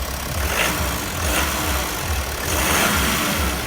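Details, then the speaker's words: BMW E70 X5 M50d triple-turbo diesel after repair for lack of power and grunting noise: revs up and settles smoothly with no whistle, flutter or hiss; cause was a loose banjo bolt. "now I'm just gonna take out on road test make sure that the performance is still there and it's not lagging down like previously"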